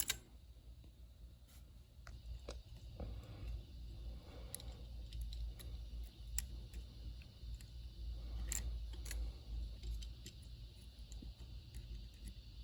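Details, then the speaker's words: Commodore SX-64 keyboard after trimming the overhanging membrane edge away from the key posts: scattered soft key clicks in a quiet room with no scratching or dragging; keyboard now clean. "so much better hope this helps someone"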